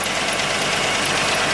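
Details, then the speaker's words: 1986 Ford LTD Crown Victoria station wagon, 5.0 EFI, at idle; light sharp tick about three times a second that comes and goes, no smoke; source unknown, owner suspects loose rocker arm or pushrod, worst case rod knock. "So if you hear that noise, see, it comes and goes. Anyway, so it doesn't smoke, doesn't have anything weird like that, but it does have a little bit of noise, and I'm not sure where it's coming from."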